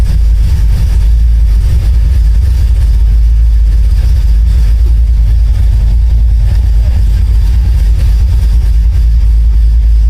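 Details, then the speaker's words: 1972 Oldsmobile Cutlass after new electric fuel pump on relay, fuel pressure just under 7, 14 volts, low fuel: started without pumping gas, deep steady idle with even rumble, no misses or knocks; idle perfect. "no this time flip the switch on turn the car on idle perfect"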